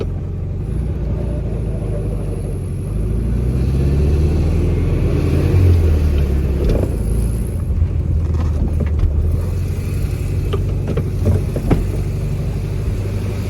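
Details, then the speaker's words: Engine just fitted with an OEM Solex 34 PICT-3 carburetor, replacing a Chinese clone, with an aftermarket air filter, holds a steady fast idle; idle still too high, further adjustment planned. "it is still too high for my liking. I will do some more adjustments, but for now I'm going to give it a couple of test runs like that."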